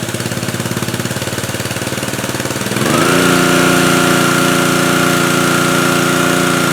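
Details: Pressure washer, nearly new and rarely used, after fixing motor-runs-pump-doesn't fault (pump o-rings checked, air purged from lines): rapid regular engine pulses, then a steady tone as the pump takes load; runs smooth and even, normal running.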